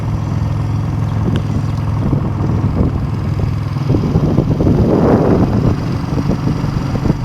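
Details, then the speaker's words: 1971 Honda CB350 twin on stock pipes, running: deep, steady exhaust burble with even beat, no misses or mechanical clatter; runs healthy. "runs good. I mean, it's just giving it a good cleaning. Touch up this rust in here. It sounds good."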